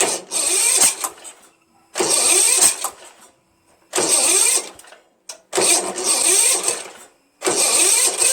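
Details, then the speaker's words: Starter gear hanging up: repeated short cranking bursts about every 1.5 seconds with quiet gaps and no catch. The weak starter smokes, partly burning off penetrating oil. "so I look you can see it starting to smoke a little bit because it's just like not as strong you know"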